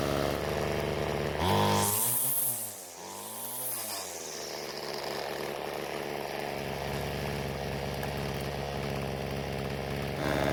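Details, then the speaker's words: Ryobi two-stroke string trimmer after the carburetor H screw was turned counterclockwise to richen it: revs up cleanly twice and drops back, then a smooth, steady buzz with no bogging; running properly. "so what i did was turn the h screw counter clockwise to give the engine more fuel and after squeezing the trigger the engine ran much better"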